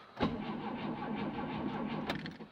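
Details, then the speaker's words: VAZ 2109 with carburetor, charged battery and good spark: starter spins evenly for about two seconds but the engine never fires; crank no-start from fuel supply fault, since it starts only when fuel is hand-pumped with the fuel pump. "Стартер крутит, но не заводит. Если подкачать бензин бензонасосом, то она заводится."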